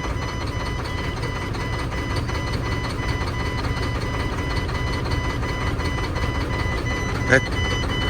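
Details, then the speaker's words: Mack truck diesel, suspected of losing fuel prime after a fuel filter change, hand-primed and restarted: uneven, lumpy beat with no steady rhythm, running very rough like a dead injector; misfire, possibly from air in the fuel system. "It's running so rough. Like an injector isn't working."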